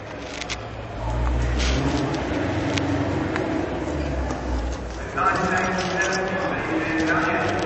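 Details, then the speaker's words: Cold 1972 Chrysler Valiant VH Charger E55, modified 450 hp engine with solid cam, forged 11:1 pistons, Bosch ignition, 727 transmission: deep lumpy rumble settling into an uneven lope at cold idle; healthy, just needs warming up. "yeah she's a bit cold so it takes a while to warm up these old cars not like the new ones so yep that's how she sounds like"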